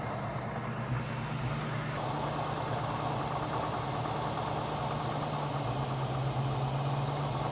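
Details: Warm carbureted V8 classic car idling after vacuum-gauge tuning (about 21 inches vacuum) and setting idle mixture screws 1.5 turns out: steady, even low rumble, no misses or stumbles.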